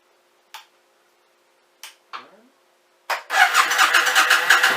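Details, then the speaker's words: Suzuki Intruder 1400 V-twin cold start with no choke: a few short failed catches over three seconds before it fires into a rough, uneven idle. Hard cold start without choke. "With no choke. I better turn the choke on."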